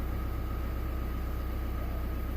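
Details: 2017 Chevrolet Colorado ZR2 2.8 L Duramax diesel just after fuel filter change and fuel system priming: steady even low rumble with faint constant whine, no misses or knocks; healthy normal idle.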